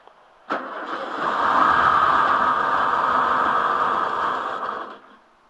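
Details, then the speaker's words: Volkswagen, unrun for a couple of months, started with starting fluid while fuel supply is suspected: cranks, catches, runs rough about four seconds then dies; possibly flooded, cause unconfirmed. "would kind of kill it did you flood it a little bit"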